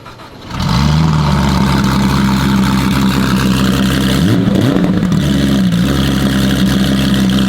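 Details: Rebuilt fire-damaged Porsche 911, first start after restoration: fires cleanly, smooth even idle, crisp throttle blips rising and falling freely; normal start and rev.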